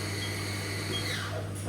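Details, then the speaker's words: Haas VF1 mill after gearbox rebuild, some belt noise: spindle accelerating to 3000 rpm with steady hum and brief falling whir as it shifts gear, no clash or grind; gear change healthy. "So if we just go, we'll go now to 3000, and it will do a gear change. Changes gear beautifully, we have no issues."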